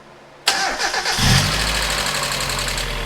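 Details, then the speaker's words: NA (first-gen) Mazda Miata after valve cover gasket and cam angle sensor o-ring replacement, starting after long storage: cranks, catches, idles with light fast ticking up top following engine speed; lifter tick, suspected collapsed lifters improving with use. "I can still hear that lifter tick, but I tell you what, every time I start this thing, it sounds a little better and better."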